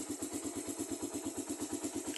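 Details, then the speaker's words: Raider carbureted motorcycle just after a cold morning start: a light, regular tick at about eight per second from the head over a quiet idle; the owner says it is oil not yet reaching the top and it fades within 30 seconds to a minute. "Mayon pa tayong maririnig nito na ah lagitik kapag unang andar niya. Mga ilang seconds lang. Mga 10 seconds. Mga 5 to 10 seconds meron tayong marinig nito na konting lagitik."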